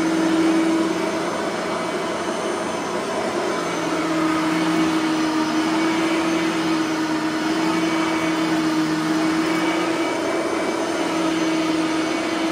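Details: Bissell 3510-9 (9 amp) upright vacuum after greasing both brush roller bearings; steady even motor whine over a constant hum, no scraping or rubbing from the brush roll anymore; normal running.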